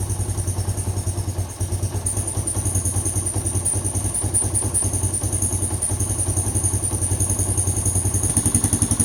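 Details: 1988 Kawasaki KLR650 single after about five years stored in a shed, fuse replaced; even thump-thump settling into a steady idle after first start, no clatter or misfire; running fine.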